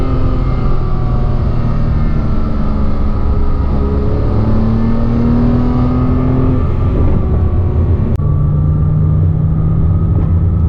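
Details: 2007 Porsche Cayman S, 45,000 miles, around 3000 rpm, in neutral and in gear: thin whine climbing in pitch with engine speed, gone with clutch disengaged; worn water pump bearing, fixed by replacing water pump.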